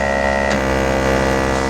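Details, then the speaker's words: Bench test of a mid-90s GM (Cadillac Deville/Eldorado) HVAC programmer in defog mode. A vacuum pump emulating engine vacuum gives a constant fixed-pitch buzzing hum with a brief click as the vacuum switches. Running normally. "there we go you can hear the pump changes and is quite aggressive"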